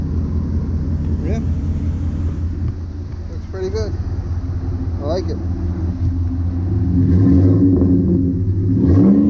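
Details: 2010 Ford F-150 after installing a Rough Country dual cat-back exhaust, idling then revved: deep, steady rumble swelling smoothly, no rattles, ticks or leak puffing; healthy exhaust with no leaks.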